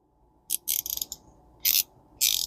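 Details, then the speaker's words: Shimano Sedona 2000RE spinning reel after clean and lube, drag reassembled with grease on the threads; short bursts of crisp, even ratcheting clicks as the spool turns, a drag clicker the owner hadn't expected, working properly. "that's clicking I don't guess that had a clicker on it"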